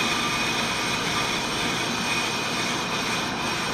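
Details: On-car brake lathe cutting a brake rotor with anti-chatter pads fitted, clutch just engaged with a click: steady hissing scrape over a whining motor, even and unbroken; rotor cutting cleanly, normal machining.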